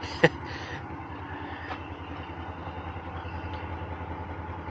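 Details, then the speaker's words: Car at a salvage auction, suspected Northstar engine, just after startup: rough, uneven, lumpy idle misfiring hard; possible smoke questioned, with later ticking suspected as rod knock; misfire at idle. "oh she's misfiring hard that's not good is there smoke"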